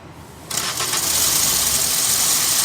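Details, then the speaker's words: Maruti Swift (stated 2017 model), started with the clutch pressed: a high steady whir keeps spinning over the engine after it catches, gone when the clutch is released; starter pinion not disengaging. "गाड़ी बंद चाबी on clutch दबा दिया से साथ में घूम रहा है आवाज आ रही है"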